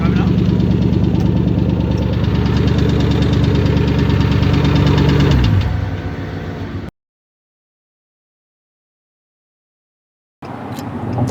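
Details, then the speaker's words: 2014 Ford Mustang Shelby GT500 at 9,000 miles, found with no oil and no leaks or stains, started at idle: heavy, regular hard knock about three times a second until shutdown, bottom-end damage from running without oil; needs new engine or rebuild. "Oh, this shit's knocking. It's knocking, bro, hard."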